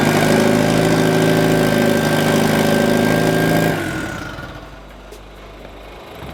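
Engine runs with an even, regular beat for a few seconds, then shuts off cleanly with no stumble; sounds healthy.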